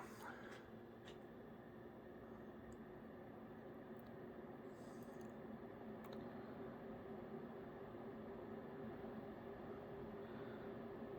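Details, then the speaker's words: 1992 Hunter Cool Revolutions 42-inch ceiling fan after repair with replacement stator and faulty capacitor replaced, running on high around 210–220 RPM; quiet even whir with slight bearing noise, otherwise runs quietly. "go to medium you can hear that bearing noise a little bit but other than that the fan runs quietly"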